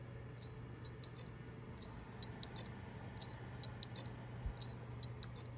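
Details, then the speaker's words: 2TB Seagate Barracuda hard drive tested in a Dell OptiPlex 790 SFF, suspected dead: faint irregular sharp ticks over a quiet hum, heads clicking without spinning up properly; not detected in BIOS. "I have this two terabyte Seagate Barracuda drive I believe it is toast if I remember correctly this is what the issue was with this drive"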